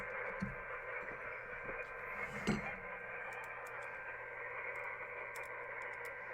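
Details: uBitx transceiver with Nextion touch screen running CEC firmware, on 40 meters: steady hiss with a muffled broadcast-style voice underneath; receiver indiscriminately picks up the AM broadcast band.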